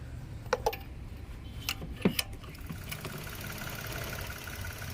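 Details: Mitsubishi Mirage G4 engine at idle with intermittent misfire and no check engine light: low rumble broken by uneven pops and stumbles in the first two seconds, then smoothing out.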